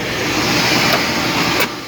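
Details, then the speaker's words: Homestead water-wheel pump drawing from a lake, just switched on after priming: a steady hissing whoosh with a slurping edge as the pipe rises and pushes air out, then settles once water arrives. Normal priming. "this pipe raises out of the water it's just pushing all the air out she'll go back down once water hits her and start pushing water out"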